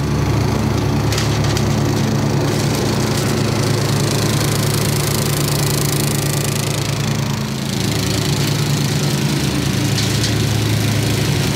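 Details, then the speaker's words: 1990s Snapper riding mower, Briggs & Stratton single-cylinder, carburetor rebuilt years earlier, new fuel filter, shut-off switch and air filter, sat for years: steady, even low thrum at idle, no misses or rattles; healthy normal idle, called a success. "that's the idle now I would say this is a success fellas"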